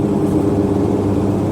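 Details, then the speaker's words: Mercedes Sprinter van, 3.0L diesel, after repair of DTC 2626, DPF and back pressure codes (previously limited under 50 mph); climbing hill at about 55 mph, no dash lights, boost up to 2500 hPa; steady even drone, no misfire, surging or whistle; normal under load. "it is fixed I like to come up here because if you have a a sprinter that's losing power going up these little Hills can be very challenging because right now as we're going up the hill we are building enough boost"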